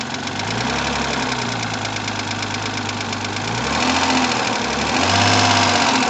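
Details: Rover 75 20K4F idling: hard sharp metallic tapping about three per second; metal debris, apparently from earlier camshaft replacement, found in cylinder 5, one piece between valve and seat; two valves replaced, seats restored.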